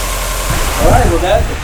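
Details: Subaru EJ20 Bugeye WRX idling steady and low with no knocking after a new timing belt and tensioner kit replaced the leaking hydraulic tensioner. Normal idle, with a brief voice-like sound over it.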